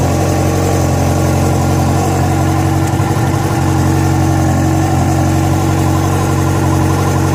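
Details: Yamaha FZ6 four-cylinder at idle: steady idle with uneven mechanical rattle over the exhaust beat; strange noise began after riding ~70 km on two cylinders from a failed ignition coil connector, cause unclear.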